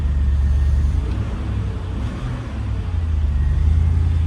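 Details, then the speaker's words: BMW S52 engine started after sitting over winter on a recovered battery: deep even idle rumble with steady low beat, no top-end ticking; valvetrain quiet and healthy, though electric fan or charger lead possibly rubbing. "Even the valve train sounds good. Usually S52s are kind of cranky when they've been let stand."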